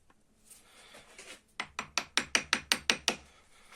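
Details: Seat Alhambra stabilizer link, removed and rocked by hand before replacement with Meyle parts: about nine sharp dry clacks in a steady row; the lower ball joint is worn loose.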